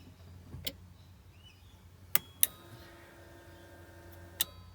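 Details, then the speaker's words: Ignition to accessories: fuel pump relay clicks and the old-style central locking pump buzzes briefly, but no fuel pump prime heard; 30 A fuel pump fuse checked OK; cause not confirmed. "yep so we're hearing the um we're hearing the uh relay is is clicking that sound there is not the fuel pump that is the uh the old style central locking pump firing up but what i've noticed is there's no sound of the fuel pump uh coming on when we're turning the ignition onto accessories"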